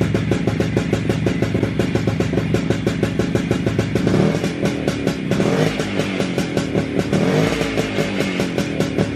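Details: WSK 125 two-stroke motorcycle, first start after engine rebuild, engine back in frame: crisp regular popping, holds a steady idle and picks up cleanly with a little throttle; owner surprised it started and held idle. Normal idle.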